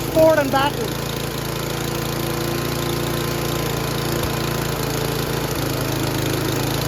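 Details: Noma/Murray Snow King 27" dual-stage snowblower, 9HP Tecumseh, with a new HIPA carburetor: a brief squeal at the start, then a fast, steady chug at full throttle with no stumbling. Normal running; full throttle is very high and wants adjusting.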